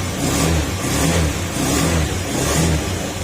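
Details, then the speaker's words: Honda Scoopy carbureted scooter, old model, after overhaul replacing the damaged crankshaft/connecting rod assembly: quick throttle blips rise and drop cleanly with no knock or rattle. The engine is now very quiet and needs no break-in because only the crankshaft was replaced. "Ayun oh. Tahimik na tahimik. Mas maingay pa yung katabi natin kasi ddb yan."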